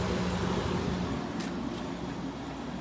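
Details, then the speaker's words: Thin-line window air conditioner at summer startup, after running a while through fan speeds and blowing cold: steady low hum and airflow with no knocking, grinding or squeal; sounds good. "Sounds good. I guess we'll shut her down."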